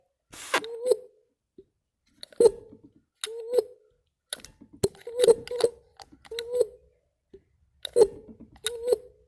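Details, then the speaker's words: MG/Triumph mechanical fuel pump after disassembly, lubrication and cleaning varnish from the inlet and outlet: a soft suck-and-push squelch with each hand stroke of the lever, about one a second; the pump draws vacuum and delivers normally. "it just needed a little lubrication and blast the varnish out of the inlet and output and now you can hear it it's pushing and pulling hear that"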